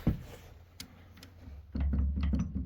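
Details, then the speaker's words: Creworks 8x16 lathe carriage rocked by hand before gib adjustment: loose, uneven knocks and rattling from carriage play, with a gib screw found completely loose. "you can hear all that play I don't know if you can see it but you can most definitely hear it"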